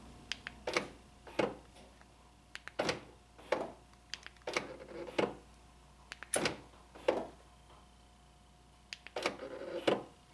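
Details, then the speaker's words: 2012 Honda Accord front driver door lock cycled: lock and unlock clunks, some ending in a brief whining buzz on unlock, from worn gears in the door lock actuator; actuator replaced. "If you hear that little whining or buzzing right at the end when I unlock it, that's the gears going bad in there."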